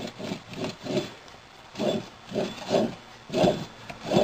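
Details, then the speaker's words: Removed electric PTO clutch from a John Deere 210 lawn tractor, turned by hand, gives rough, gritty, uneven rasping; worn bearings that need replacing. "can tell by that sound it needs bearings"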